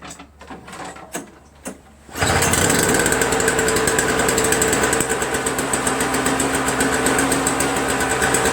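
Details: Toro Snow Commander 7 HP R-Tek 24-inch single-stage snowblower that had no spark, spark returned on its own after disassembly and reassembly: a few cord pulls, then the engine catches and runs at a steady even buzz with no misses.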